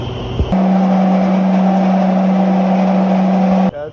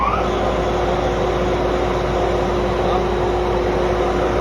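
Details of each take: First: Paint sand mill machine before bearing replacement: loud steady low hum with a rough hiss, then stops; owner suspects worn bearings, which are then replaced. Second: Paint sand mill after bearing replacement and belt retensioning: even, steady hum with one constant tone, no knocking, grinding or squeal, previously very noisy; normal running.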